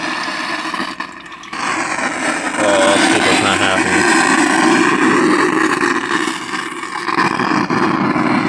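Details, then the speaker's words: Cheap Bluetooth speaker after being submerged in water: playback is muffled and distorted, with wet sloshing and rattle from water inside the housing. Water likely also reached the control circuitry, as a light flickers. Water inside speaker enclosure. "This thing's not Oh gosh, it's not happy. And uh you can hear the water slashing around inside of it."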